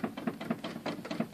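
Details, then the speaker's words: Yamaha P70 digital piano, about seven years old: each soft note gives a hollow plastic clack, rattling even at pianissimo; worn keybed cushions, repaired with replacement upper and lower keybed cushions. "the only thing with this piano is after over time the keys we start to become noisy"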